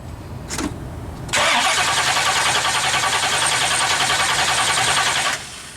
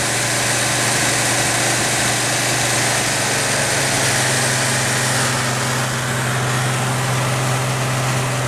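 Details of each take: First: 1970 Pontiac LeMans with a 455, whose mechanical fuel pump failed after 2100 miles: the electric pump is on and the starter cranks steadily for about four seconds, but the engine never fires; flooding is suspected; crank no-start. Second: 1970 Pontiac LeMans with a 455 Pontiac V8 after its failed, leaking fuel pump was fixed: low, steady V8 idle with an even rumble and no stumbles or surges; no fuel leaks seen.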